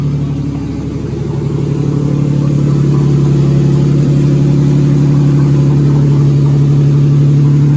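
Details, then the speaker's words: 2004 Ford BA Falcon XR6, stored six years and first start in over three years after checking oil, water and fuel: engine runs steady and even with a smooth strong low hum, no knocks or misses; normal running. "So I'll get the old boy to see if she'll fire up for the first time in 3 years. Running."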